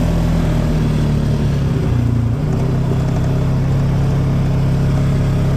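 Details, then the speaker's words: 2018 Polaris Sportsman 570 revving freely after fix: limp mode from code 520194-2 (throttle release voltage out of range), open throttle safety switch circuit at right-hand control; two scrap resistors wired in, now out of limp mode, engine light still on. "so far this here worked and it's out of limp mode so just two little resistors fixed it"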